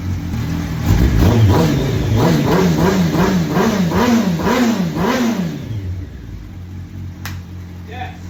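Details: 2004 Yamaha R1 after years sitting, fitted with new battery, fuel pump, gasket and some fuel lines: fires up, blipped repeatedly rising and falling about twice a second, then settles to a quiet steady idle; starts and runs fine.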